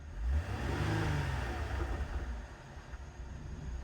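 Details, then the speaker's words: Flood-damaged 2007 Cadillac CTS, about 50,000 miles: deep clean rev rising and settling evenly, no knocks, misses or rattles; engine healthy. "Yeah, the engine seems really, really healthy on this thing."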